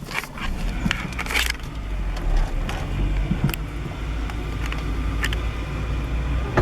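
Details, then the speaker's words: Manual 1998 Acura Integra pulling in second gear. A rough low rumble with scrapes and knocks as the clutch is released: grinding, bucking engagement, worse when turning, and it persisted after an axle replacement. "so there's that grind in the clutch jumping around I want to say it doesn't seem to do it with the clutch engaged"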